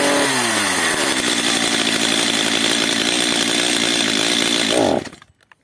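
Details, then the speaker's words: Stihl MS 230/250 chainsaw, first start with choke. It screams at high revs, surges and dies within seconds as if running out of fuel. Suspected carburetor problem or air leak; the L screw was later opened one turn for more fuel. "Ewidentnie ma mało paliwa gaśnie lub napracowanie problem z gazikiem lub z nieszczelnością"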